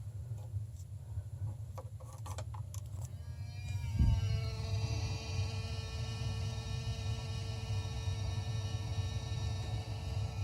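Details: Water heater circulator pump in the attic, loud enough to hear downstairs: a few clicks, then a deep steady hum with a constant mid-pitched tone; annoying pump noise.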